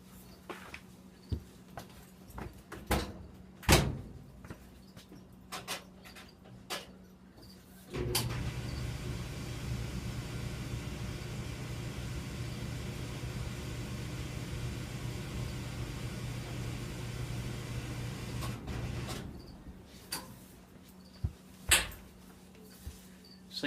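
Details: A Roper (Whirlpool) clothes dryer starts with a thump and runs with a smooth, even hum, then stops. This is after it was taken apart and cleaned of dirt to cure a loud noise.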